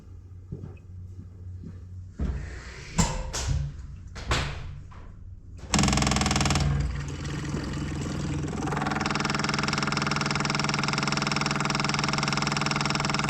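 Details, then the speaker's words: Caterpillar 259D skid steer, key on after changing both fuel filters including the inline filter, letting it fill with fuel. A few clunks, then a steady electric buzz as the fuel priming pump fills the new filters before starting. "Let me know what you think about that. I'm too nervous to try it. We'll turn the key on, let it fill up with fuel."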